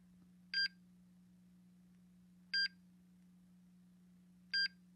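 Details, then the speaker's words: MSA Altair 4X multigas detector at power-on, testing its alarms before showing time, date and calibration due in 12 days: short bright chirps every two seconds over a faint steady hum; normal startup alarm self-test. "it's done testing alarms that goes through the time and date and the calibration information"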